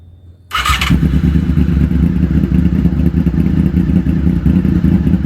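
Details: 2000 Honda VFR800, previously wrecked and bought as a non-runner: cranks briefly, catches at once and settles into a deep, steady, even idle with no knocks or misses; normal idle.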